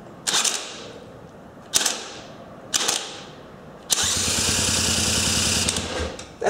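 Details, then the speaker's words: Cordless drill in second gear (rated 1,300 rpm) driving a dog-clutch starter to spin a Honda 350x small engine: whirring bursts, then a spin that suddenly cuts out under heavy load. Owner suspects the batteries are cutting power. "You hear how the drill kicks out once in a while. If it has a massive load, it'll kick out."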